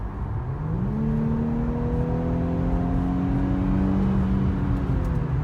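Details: Infiniti Q50 petrol loaner car under acceleration: a smooth engine note climbs steadily in pitch with no knocks or rattles. The driver remarks that the car makes weird noises, but the acceleration sounds healthy.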